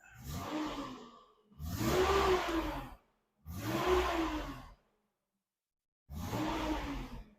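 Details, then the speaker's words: 1986 Nissan 300ZX auction car, engine revved inside the shop: four clean throttle blips rising and falling smoothly without stumbling, quiet and stock-sounding; oil pressure good; normal revving. "It is just amazingly stock and cool and quiet. That's pretty sweet. It's pretty quiet."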